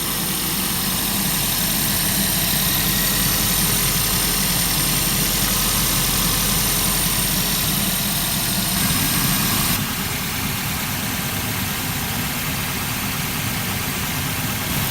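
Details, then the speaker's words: Car idling just after radiator replacement and coolant refill, cooling system not yet properly bled; smooth, even idle with steady low rumble, no knocks, misses or squeals; heater blowing hot, not overheating, running great. "And the good news is, so far the car is running great."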